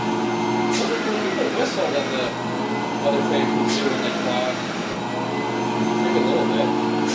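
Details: SC Johnson Vectron (Iona) vacuum with beater-bar brush roll: steady motor drone with a rough, uneven whirr from the roller; motor sounds good, owner suspects brush roll bearings, rebuildable.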